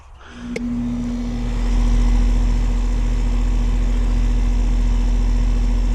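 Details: AC condenser unit after replacing failed capacitor and cleaning dirty coils, run briefly at about 59°F: compressor kicks in to a steady low hum with even fan rush, no rattles or struggling; running healthy.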